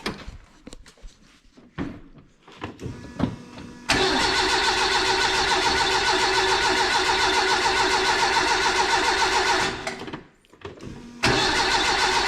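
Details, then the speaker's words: Renault 5 GT Turbo engine in a van, distributor recently removed: starter spins engine about three and a half beats a second for several seconds, oil pressure building, no firing; distributor timing suspected after refitting. "starting to turn over fast and there it's getting all pressure so that's a good sign why do I feel like something might not be quite right"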